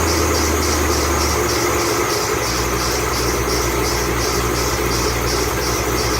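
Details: 2008 Ford Mustang Bullitt, 8-rib serpentine belt squealing at cold idle the morning after sitting overnight in the garage, under 30 miles driven: high chirping squeal pulsing about three times a second, belt slipping.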